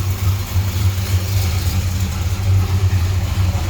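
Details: 1968 Chrysler Newport Custom with a new Holley Sniper EFI, running seven or eight minutes, holding its target idle and slightly rich. A deep, steady, even burble with no stumble, tick or knock: a smooth warm idle.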